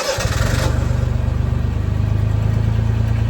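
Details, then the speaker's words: Honda Beat on a suspected bad bearing, first start after fuel pump priming: engine catches, then idles with a steady rhythmic knock about three per second; owner suspects bottom end, nothing felt on the oil pan. "there is a little bit of bomat noise oh there it is yep okay we're sure that's not a I'm not entirely sure cuz I don't know what this engine sounds like good however it sounds like bottom end"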